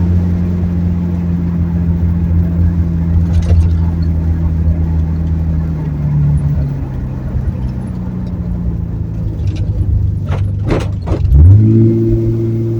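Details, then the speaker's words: 1970 Ford Torino turbo inline six with new two-muffler exhaust, driving after gear swap, 9 to 11 lb boost: low subdued exhaust drone easing and rising with throttle, turbo faintly audible, quiet exhaust note. "gear change feels good it's good and quiet"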